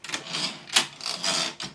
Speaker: That thing on this machine is either gummed up or missing. Because when you pull this carriage back, you hear like this vibrating, grinding kind of